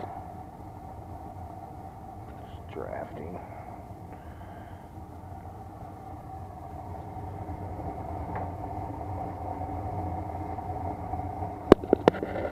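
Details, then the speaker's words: Bryant 394GAW048125 70% efficient furnace with pilot, unmaintained, lint-filled, cracked heat exchanger: steady mid-pitched buzz over low rumble as it heats; customer reported loud buzzing, blower motor judged bad, needs replacing. "a customer complaint was making a loud buzzing noise for just getting hot so I'm thinking the blower motors bad on it definitely needs to be changed"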